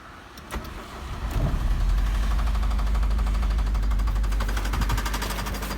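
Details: Daewoo Nexia engine fires up and settles to idle with a steady, rapid tapping knock, about three to four per second, over the idle hum.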